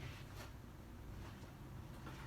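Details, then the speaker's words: Soft steady whoosh over a low hum with no ticking, rubbing or wobble from a white NuTone Sea Island ceiling fan, scratched on its blades and body, running smoothly on low speed. "overall it's it runs great and yeah so I'm gonna start it up I'm low speed for you guys"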